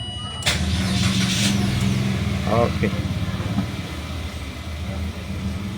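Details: Mitsubishi Xpander, clutch pressed, after a no-crank no-start traced to a loose wiring connection and a faulty starter relay, battery at 12.6 V: starter cranks briefly, then catches and settles into a steady, even idle; starts normally now.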